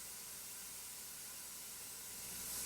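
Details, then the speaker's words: Pressure canner vent pipe at full venting: smooth, steady, unbroken steam hiss without sputtering, the correct state, after earlier water sputtering. "you hear how it's not not sputtering at all but it is just a straight steady type noise"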